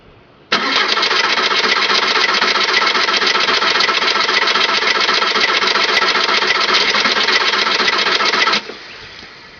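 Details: 2002 VW Jetta TDI cranks with about eight seconds of steady starter churning, near four beats a second, with no catch before it cuts off; a diesel hard start.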